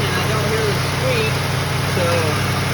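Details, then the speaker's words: 2008 Ford Crown Victoria after replacing an old, worn serpentine belt and tensioner; steady low idle with no squeal or chirp from the belt, belt drive quiet and healthy. "hopefully that solved the problem. I'll drive it later, not tonight cuz it's getting late, but tomorrow I'll drive it and we'll see if it makes a squeak."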